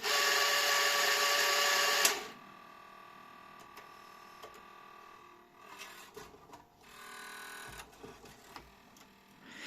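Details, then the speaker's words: Grundig SCF6100 cassette deck bought as defective, first power-up before any work: loud buzzing whir at switch-on cuts out after two seconds, then scattered clicks and scrapes from the motorized drawer/transport mechanism; owner suspects old belts and broken gears. "It was sold to me as defective, but it's probably just the old belts and broken gears, which are quite common in these devices."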